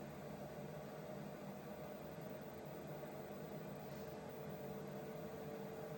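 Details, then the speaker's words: Vevor 8 kW Chinese diesel heater on first test run; steady even fan whir with a faint tone around five hundred hertz and no flame roar, heater in its normal shutdown cool-down cycle. "It's going through some further cooling. Interesting, the shutdown cycle, that's for sure."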